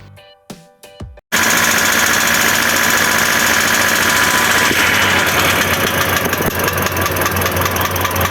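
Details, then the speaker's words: Sharp, rapid metallic tapping at about three to four per second over the running engine, steady with speed. Teardown found a worn connecting rod bearing: rod knock. "Banyak yang mengira suara seperti ini adalah suara normal. Tapi faktanya ini adalah teriakan terakhir dari jantung mesin kalian sebelum dia mati total."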